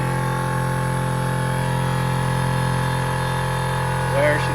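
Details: Air Zenith air-ride compressor, first run after rebuild for suspected worn piston rod bearing: steady, even motor hum with a constant low drone and no knocking or rattle while filling; pressure switch found faulty, not shutting off properly.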